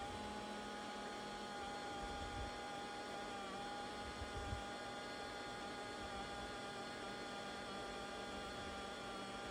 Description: This is a non-working 2004 IBM ThinkPad T42 with a cracked laptop screen and making loud, dodgy, strange noises during boot up.